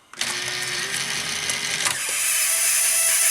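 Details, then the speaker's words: Sanyo VTC-MH5 Japanese NTSC Beta Hi-fi VCR in play mode after replacing rubber parts, loading belt still loose; mechanism clunks into play, then a high thin screech holds steady over motor hum, which typically means the tape path needs cleaning; tape path screech. "yeah we've got the usual Screech which typically just means the tape bath needs cleaning"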